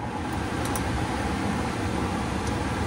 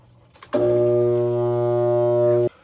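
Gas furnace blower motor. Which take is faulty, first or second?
second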